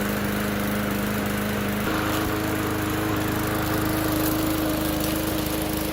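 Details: Bolens mower after a new notched gasket fitted; smooth, even drone stepping up to a higher steady pitch as throttle opens, running cleanly with no stumble.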